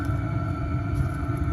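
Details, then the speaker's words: 5 kW Chinese diesel heater heating a house, mounted in a box outdoors on a concrete plinth, air intake kept away from the exhaust: steady low rumble with a faint constant hum, smooth and even; normal running, not heard from inside the house. "it sounds noisy from here but obviously we're inside the house so we can't hear it and we haven't got any neighbors to bother"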